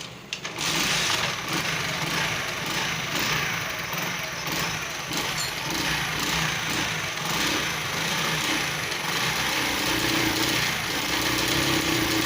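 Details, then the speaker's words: Honda single-cylinder motorcycle (CD70 tagged) after fixing engine noise near head/cylinder, timing marks aligned and small bolts fixed: steady, even idle beat with no knocking or rattle; sounds completely fine. "बिल्कुल ठीक है।"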